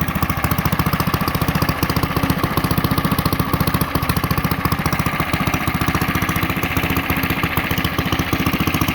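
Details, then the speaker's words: Coleman CT100U mini bike engine running on the governor: steady, even governed speed with no misses, knocks or surging; normal running. "This time around, we're going to leave the zip tie and run it with the governor. Here's what it sounds"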